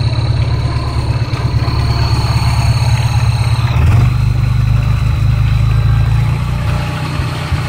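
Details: Škoda 125L engine at lumpy idle: thin high whistle that dips in pitch as revs change; source not identified.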